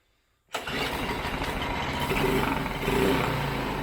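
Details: Briggs & Stratton 5 hp four-stroke air-cooled mud motor being revived: fires abruptly on primer and runs ragged with uneven popping, not yet picking up fuel from the tank.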